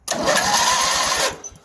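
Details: Yardman 13785L lawn tractor with a Briggs and Stratton two-cylinder engine, fitted with a junkyard starter and a new starter gear; choke partly pulled, throttle high. Quick, even cranking pulses, roughly nine a second, for just over a second. The starter spins the engine strongly and steadily, but the engine does not start.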